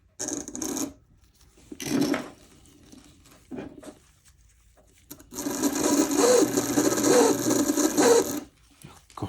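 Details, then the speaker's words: Athearn Band-Drive F7 Canadian National model locomotive, motor running on its own: harsh rasping grind in bursts, then loud for several seconds; drivetrain grinding. "sounds awful not a lot I can do"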